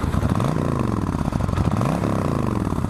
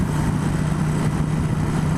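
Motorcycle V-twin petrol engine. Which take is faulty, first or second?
second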